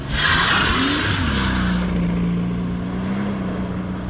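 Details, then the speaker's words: 2005 Mercedes CL65 AMG V12 at wide-open throttle after fixing limp mode and a flashing check-engine light that came on after 2–3 seconds of full throttle: hard pull with a steady rising note and tire noise, no stumble or cut-out. "oh my gosh it rips guys it rips"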